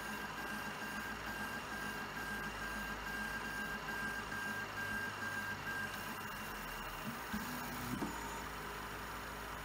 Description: Pour certaines impressions mon imprimante Prusa SL1S fait un bruit anormal.